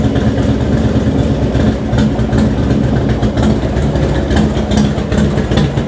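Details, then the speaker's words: Harley-Davidson FXDX after fitting a Daytona Twin Tec ECU for a cam sensor error, with N21 cams and SPB exhaust: still cold on a little choke, lumpy but even V-twin idle with no knocks or misses; starts fine, less engine movement. "So let's just fire the bike up one more time, make sure that that works and starts. Tiny bit of choke, which is still a bit cold."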